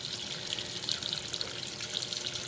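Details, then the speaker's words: Washing machine that only hummed, retest after no-parts fix (possibly digital error), cold water large load: strong steady hiss of water filling with good pressure, no sputter; normal fill. "well it paus when I open the lid we got pretty good pressure"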